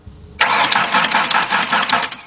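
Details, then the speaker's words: 2003 Ford Explorer 4.0 V6 that shut off after refueling, fuel pressure present: quick, even cranking spins freely for two seconds with no firing at all. Cause was a failed timing chain, with possibly damaged valves. "the problem was that the vehicle didn't start it turned out to be the timing chain and possibly the boughs are damaged correct"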